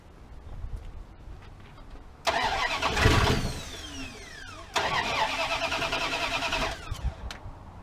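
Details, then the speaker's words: 1979 Dodge D100 pickup, 10.2 V at the coil, ignition module or distributor suspected: two cranking bursts of about two seconds each, with near-catches but it never runs. Fuel not yet reaching the carburetor. "Don't worry, we got to get fuel coming up to the carburetor yet too. It'll do this a couple times. Then it'll go."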